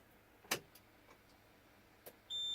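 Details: Truck cab, CDL pre-trip check, clutch to the floor, in neutral, parking brake buttons out: a few clicks and a clunk, then a steady high-pitched continuous tone as the key reaches on; the normal key-on warning buzzer.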